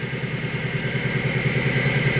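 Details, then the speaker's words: Car engine running after cranking: a loud, steady low drone with a rapid pulsing beat and thin whine above; the droning is blamed on a dirty, clogged oil filter from a dented oil pan. "nah ini Yang jadi masalahnya ini penyebab bunyi dengung ini berasal dari filter atau saringan oli saringan oli itu kotor dan kena cutter ya"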